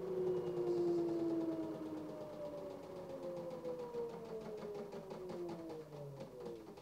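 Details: LG direct drive 6 kg F1058ND5 washing machine making noise: a steady tonal whine slowly sagging in pitch over a low hum; the pump is only a suspect.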